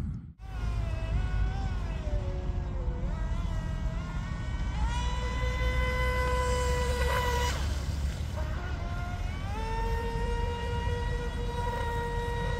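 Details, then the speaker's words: DIY RC Mini Mono boat on 3S LiPo (fresh pack), CNC aluminium 436 three-blade prop detuned to cut torque and motor load, full-throttle speed run: steady high electric whine climbing and holding, dipping between runs; motor pulling cleanly, normal. "nice it's definitely R fast and with the three blade but that's run"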